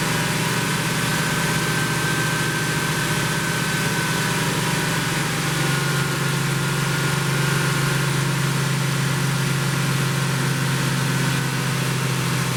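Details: 1972 Plymouth Roadrunner 383 Magnum V8, after sitting 15+ months unrun, during cam break-in: smooth, steady raised idle, deep even drone, no misses or ticking; normal fast idle.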